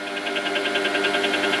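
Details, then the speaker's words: Mini lathe at 700 RPM, turning down stock: a light, high-pitched tick about eleven times a second over the spindle hum as the tool just touches off on the turning workpiece. "Once I can hear that noise, I know I'm touched off on the work."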